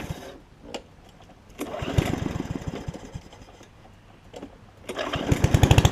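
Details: Yard Man self-propelled push mower with Powermore engine, long-sat, after carb clean and self-propel freed up: bursts of quick, even popping rising with throttle, then dropping back; runs cleanly, about 90%, old gas likely washing out, owner may add Seafoam.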